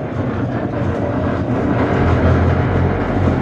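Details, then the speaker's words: Daihatsu Gran Max, 111,000 km: heavy droning rumble and rattle from underneath at the rear, getting louder when accelerating in third gear; a broken transmission mount is suspected to be letting the mount touch the underbody. "Dari pengamatan saya, kemungkinan dudukan tersebut menyentuh sesuatu."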